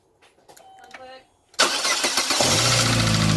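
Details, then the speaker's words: Car with plug wires tightened and battery refitted: brief cranking, catches within a second and settles into a smooth, even idle; normal start and idle. "goodness it is alive"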